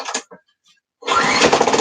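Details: Honda lawnmower with petrol, oil and spark plug in, on choke: a few cord pulls, then the engine catches and settles into a steady, even run with no misses; running healthy.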